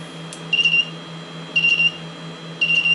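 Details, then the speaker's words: Cheap Chinese solar inverter that died again, tested after resistor contacts were fixed: repeating groups of high-pitched beeps about once a second over a low mains-like hum; fault signalling, won't start, dead short still inside, output caps creep up with each beep. "it's very interesting cuz this the these output caps if I leave it on every time it beeps it goes up a little bit up a little bit up a little bit"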